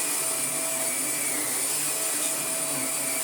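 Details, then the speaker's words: Vax Air Pet U88-MA-SE upright vacuum, stored in a shed about two years, first power-up before refurbishment: steady, even high-pitched motor whine, constant pitch, no rattle or grinding, good suction and brush roll turning; normal running. "By the comically wobbly handle, it's okay. Absolutely stinks, but that runs fine."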